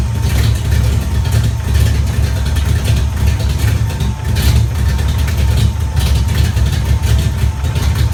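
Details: 1994 GT at idle: rapid ticking puffs ride on a rough, throaty idle, keeping time with the firing; exhaust leak, possibly near the manifold.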